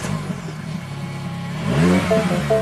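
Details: Mini Cooper with a previous no-spark crank, no-start, after a soldered bypass wire restored the ignition coil positive feed. It catches straight away and revs up cleanly with no misfire or stumble: normal start and rev.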